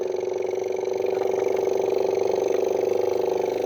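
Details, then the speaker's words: Vintage air pump switchable 12 V DC or AC, run on AC, hoses likely hardened: steady buzzing hum pulsing about four per second, quickening slightly as it warms; motor slow and weak, tone changes at outlet, not pumping much air. "so actually getting faster as it warms up oh there's the outlet there you can hear the tone change it's not really pumping much air"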